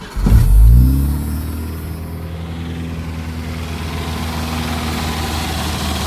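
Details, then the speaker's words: 1988 Jeep Comanche Renix 2.5L I4 after ECU reset by disconnecting battery: catches with sharp rev, then drops to low lumpy unsteady speed; will not hold idle, owner suspects TPS misadjusted. "Huh, okay. Well, now it starts, but it doesn't want to idle. It never ends. It could be that the TPS isn't adjusted properly."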